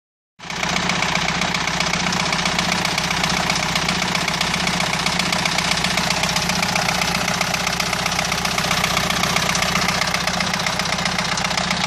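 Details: Renault 2.2 dCi diesel idling with a fast, regular knock about four beats a second; abnormal engine knock, source not identified.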